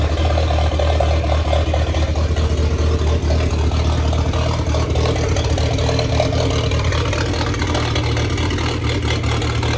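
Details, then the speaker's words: 1927 Ford roadster with 2.3 L turbo four after fuel line repair and fan switch install, fresh 91 octane fuel; steady even low rumble with no misses or knocks, no leaks: normal running. "And that's it, guys. We got it running. She's alive. And most importantly, no leaks."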